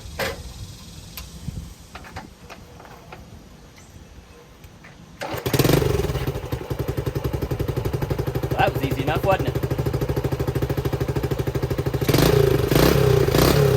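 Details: 1970 Honda CT90 single after fixing a fuel leak from a carburetor float stuck open; quiet handling, then it fires up and settles into a steady, even putter with no stumbling, no leak so far; healthy running.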